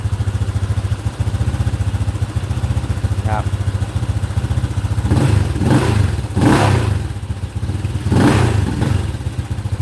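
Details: Honda Click 125 LED with a PCX crankshaft, 60 mm piston and stock stroke, on E85, warmed up about 10 minutes: smooth, even thumping idle and clean throttle blips that settle without clatter. Engine sounds healthy.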